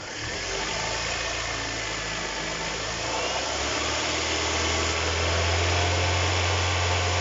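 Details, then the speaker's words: Kia Cerato after the generator with a collapsed rear bearing that caused the engine knock was replaced: idles then revs up smoothly, even hum with no knocks or rattles; normal running. "царит тишина. Никаких посторонних шумов. Это хорошо."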